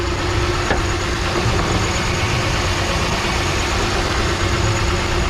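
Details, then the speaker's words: 2006 Pontiac Grand Prix at auction, idle under the hood: low heavy idle with slightly lumpy uneven pulse, engine visibly shaking; rough idle, owner suspects coil pack or spark plugs, unconfirmed. "You can see the motor kind of flopping around there a little"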